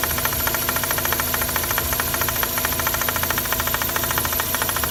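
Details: Mazda RX-8 rotary engine at idle: a fast, light metallic rattle about twice per second from the engine bay. The cause was excessive play in the SSV (secondary shutter valve) actuator rod.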